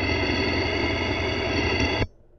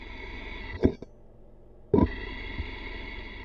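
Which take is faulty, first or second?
first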